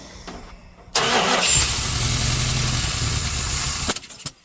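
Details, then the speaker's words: 1968 Chrysler Imperial V8 that sat abandoned for 30 years, start-up with fuel fed down the carb. Sharp pop, lumpy loud running, then it dies. Still backfires; possible valve train noise and slight exhaust noise; cause unconfirmed, intake gasket still needed. "Well, still backfires, but it runs. That could be a number of different issues. Valve train noise."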